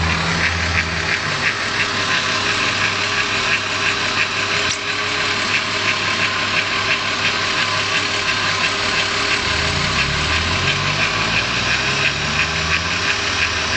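VR6 idling smoothly with a light, fairly regular tick around three per second above the hum; source not pinned down.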